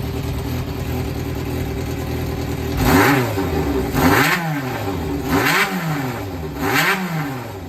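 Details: Yamaha XJR400 (4HM) motorcycle in roadworthy running condition, start-up check: steady four-cylinder idle with four clean, smooth throttle blips; no abnormal engine noise or white smoke, and no knocks or rattles. Normal idle and revving.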